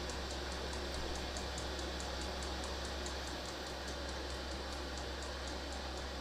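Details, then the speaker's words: Diesel heater on 500 W ATX desktop power supply warming up, about 60 W, set to setting three: steady fan rush with quick even pump tick about four per second, fan and pump on high; normal operation before slowing at operating temperature. "So, the diesel heater is warming up to temperature. Fan is on high and the pump is on high at the moment. So once it gets up to operating temperature, the pump will slow down and the fan will also slow down."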